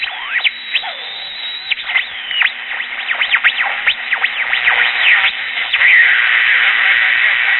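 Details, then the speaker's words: Early-1960s Bulova pocket transistor radio under repair, powered directly: weak reception and swooping whistles and oscillation across the dial. Transistors are thought good; the old Japanese electrolytic capacitors are suspected, not confirmed. "that's wide open and on one of the stronger stations pretty much all I get across the dial besides that is a lot of whistling and oscillations"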